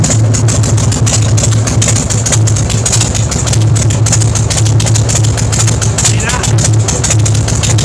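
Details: Big Dog Ridgeback motorcycle V-twin with compression releases: loud, lumpy idle through open pipes, firm regular pulses, steady speed, no misses; normal healthy idle.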